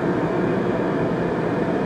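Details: Riello RDB kerosene oil burner after new Danfoss 0.6 USG/h 60° EH nozzle at 8 bar, air screw being adjusted (less air lengthens flame): continuous even roar, no pulsing, rumble or sputter; firing steadily.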